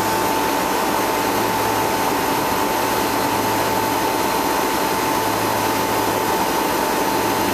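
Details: Replacement two-speed (2/4 pole) Bristol compressor on a condensing unit, first start after condenser leak repair, new suction line and blocked drier: steady hum, high tone and fan rush with no knocking; runs normally.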